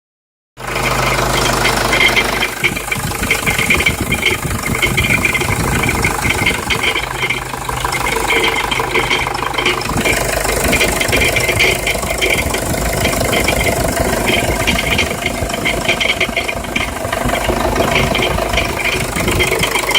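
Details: Jeep Liberty CRD diesel idling: busy, harsh metallic rattle with a gritty grinding edge over the clatter; cause unknown.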